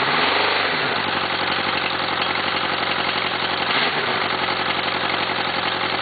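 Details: Suzuki GSXR first-generation oil-cooled four-cylinder idling with a hard, rhythmic rod knock under busy mechanical clatter. The engine had hydrolocked and bent the cylinder 1 rod.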